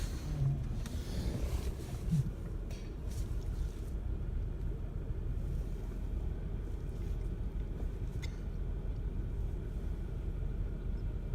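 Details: 1996 Chevrolet Lumina V6 with code P0301, after parts were poorly replaced elsewhere: warm idle with deep, slightly uneven rumble; cylinder 1 misfire, suspected spark plug, plug wire or coil, or a damaged plug thread leaking vacuum.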